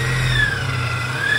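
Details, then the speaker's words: Supercharged Subaru Outback H6, hot after spirited drive, idling; whine sags and climbs as idle hunts; owner suspects returnless fuel system, not confirmed; surging idle. "as you can hear the idle is kind of it's always like searching for the idols going up and down after a a spirited Drive engine's hot and this is how it sounds"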